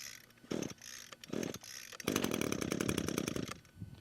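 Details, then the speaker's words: Gas string trimmer on cold start, switch on, choke in cold-start position, unit on ground: three recoil pulls, then a short sputtering catch that dies; the normal cold-start burp. "So on a cold start, you'll pull the recoil 2 to 3 times. You'll hear the engine burp."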